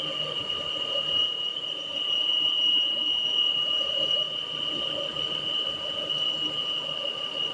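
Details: Peugeot 408 at idle with a steady high-pitched squeal that does not follow engine speed. It resembles a pulley bearing but was traced to the valve cover: a PCV valve squeal.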